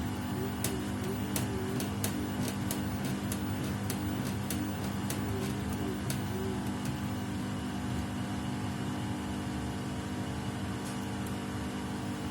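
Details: Samsung WW75TA046TE/SP washing machine, a replacement unit on its 6th day of use, during a wash cycle: steady drum drone with sharp irregular ticks over it; the noise grows louder with each wash.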